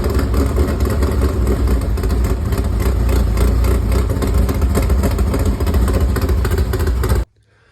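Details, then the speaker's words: Freshly installed V8 with carburetor in a dirt modified race car, first runs: deep, loud, steady lumpy idle with no knocks or ticks; sounds healthy, though rear main seal and oil pan are suspected of leaking. "we got it fired up. This thing sounds healthy and very mean."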